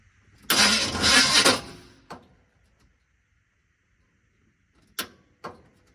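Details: 1980 Chevy K30 small-block 350 with new relocated starter solenoid: about a second of cranking that quits without firing, then stray clicks; won't start, suspected starter or battery draw, also a large vacuum leak.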